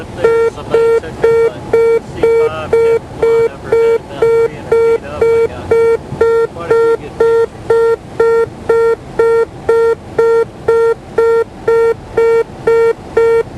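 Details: Light aircraft on final approach: steady mid-pitched beep about twice a second, the landing gear warning horn sounding because the pilot failed to lower the gear.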